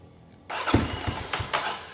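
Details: Kawasaki KLX 230 SM motorcycle with tuned ECU, engine cold, after starter gear repair, same battery: crisp, strong starter whirr with quick firm pulses from the press; starter cranks normally.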